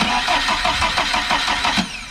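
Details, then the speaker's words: VAZ 2103 (Lada) cranks but won't start after chain tensioner broke at 120 kph; coil, distributor cap, condenser and ignition switch replaced yet absolutely zero spark, battery running down; starter turns over evenly, never fires. "the patter is getting empty as well so everything is just great absolutely zero spark"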